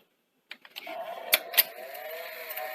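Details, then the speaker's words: Sony SL-C30 Betamax deck: mechanism clicks and clunks engage, then a thin high whirring as the capstan motor runs far too fast, spilling tape; capstan motor Hall sensors or capacitors suspected. "it just spills out tape running way too fast"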